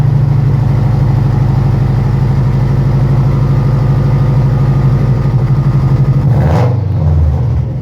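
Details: Loud, rough idle with a deep pulsing chuff, then a brief rev; heard while checking exhaust smoke, revealing a pretty bad exhaust leak.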